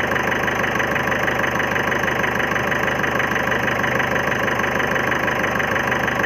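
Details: 2011 Ford Figo diesel at idle gives a hard, steady clatter of about three knocks a second with an uneven beat, a knock and miss; injector fault suspected, cause unconfirmed.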